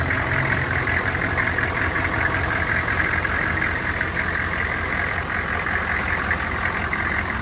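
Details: 1984 GMC Suburban 6.5 Detroit diesel cold start after glow plugs warmed about 10 seconds; steady even diesel clatter with deep uniform idle beat, no misses or knocks; healthy cold idle.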